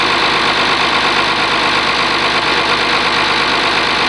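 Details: Warm Oliver 1850 diesel tractor after a cold start, gauges showing charging: steady, even idle at about two beats a second with no knocks or misses. Normal idle.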